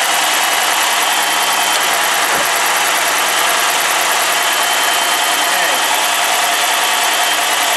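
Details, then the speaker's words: 2007 Dodge Magnum R/T 5.7L Hemi V8, cold start right after replacing all 16 spark plugs, all cylinders firing: a thin, steady high-pitched squeal from a squeaky drive belt over idle, which always happens when cold and stops shortly. "That's just my squeaky belt. It'll stop in just a second. It always does that when it's cold."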